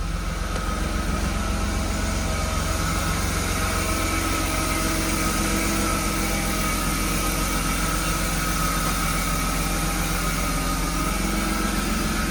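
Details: BMW E36 with M52B25 inline-six after spark plug work for a misfire: holds an even, steady idle with a smooth low hum and no stumble or skipped beats.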